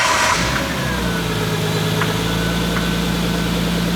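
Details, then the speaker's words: RB straight-six idling lumpy and uneven with irregular stumbles and pops; misfiring, with coils not bolted down; rough idle misfire. "It was going, it sounded so good, right? It's a straight 6. This thing should sound amazing. It should just be butter."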